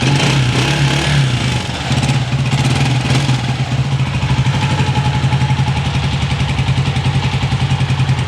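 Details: Honda CG 125 after repair of an engine tik-tik sound (tappet, cam or rocker): steady, even single-cylinder thump settling into a regular idle after a blip, no tapping or rattle from the top end; runs healthy.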